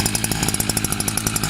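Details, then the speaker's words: New Kawasaki TJ53E two-stroke brush cutter, just cold-started and slow to start. It runs on choke with a brisk, even putter of about eleven beats a second. It stalls if throttled on choke, so the choke is then turned off. Normal cold running. "çalıştı biraz çalışıp çalışırsan sonra gaz verirsek istop ediyor O yüzden bunu indiriyoruz"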